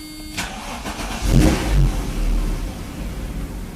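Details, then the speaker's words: Mercedes 190E SportLine, 5-speed manual, swapped 3.2L M104, after rewiring main power and reconnecting O2 sensor, cam advance solenoid and HFM-ISC CAN line for a no-start: cranks briefly, starts first try, settles to steady idle. "starts right up first fry very nice sounds good to me so yeah man I mean everything's fine with it I don't see any problems with it anymore"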